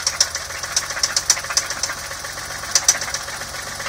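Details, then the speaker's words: BMW E30 M20B25, jump started stone cold: sharp, uneven ticking knocks about once a second over a quiet idle; valves all sound fairly quiet, owner suspects a piston or bottom end, cause unconfirmed. "I don't know what that noise could be, but it sounds like it's coming from a piston, like, I don't know."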